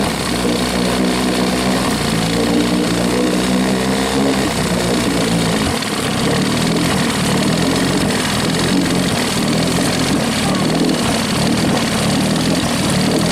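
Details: Rebuilt 1963/64 Evinrude 40hp two-stroke outboard, throttled down slow, likes the choke, peeing water: steady even buzz at constant pitch with no misses; runs but can't be killed, kill switch unresolved.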